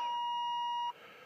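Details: Free Chevy Silverado 1500 with a failing engine (metal found in oil at change, oil pressure about 20 psi then dropping) at startup: single steady high chime just under a second, then cuts off, the dash low oil pressure warning.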